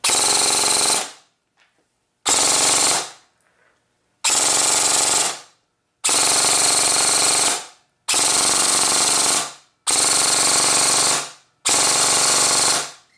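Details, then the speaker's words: Airsoft gun gearbox, dry-firing test after fixing the motor pinion: repeated one-second full-auto bursts with a harsh rattly buzz; off-centre gear bushing, bearing needs replacing to sound better; motor height low but amperage efficient. "however it doesn't sound one of the best at all i'd have to change out the bearing in that gear to go more for a quite better sound"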